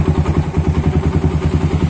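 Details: Suzuki Satria FU with a WRX exhaust after its glasswool packing was replaced: a deep, even thumping beat at a quick steady idle that lifts slightly at the end. A clean, healthy exhaust note.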